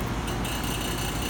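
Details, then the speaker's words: Residential HVAC system during pump-down, low pressure switch held in, vapor line pressure nearly bottomed: loud steady low rumble with rough uneven churn, compressor laboring; acceptable briefly, not often. "gonna hear the compressor making all kinds of weird noise that's okay we don't want to do this a whole lot but that compressor he's gonna be able to handle for a little bit"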